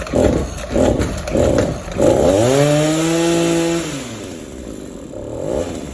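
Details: Two-stroke hedge trimmer, rope pulls with no resistance: stumbling, uneven pulses that won't settle into an idle, then a thin strained scream at full throttle that sags off; burnt piston.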